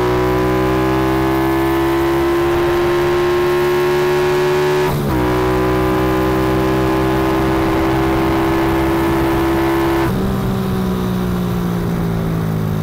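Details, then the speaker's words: Kawasaki ZX130, test run without air filter: held high-rev drone with slight pitch wavering and dull flat tone between shifts; owner thinks it bogs above 8,000 rpm, cause unconfirmed. "Αυτό είναι το ένα άνοιγμα. Νομίζω ότι γενικά μπουκώνει μετά τις οκτώ χιλιάδες."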